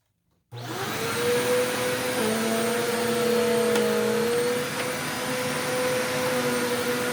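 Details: Eureka The Boss Capture bagless vacuum after repacking two brushroll bearings and replacing the broken belt, picking up rice and oats on carpet: steady high motor whine, even brushroll hum, no rattle or squeal; running normally.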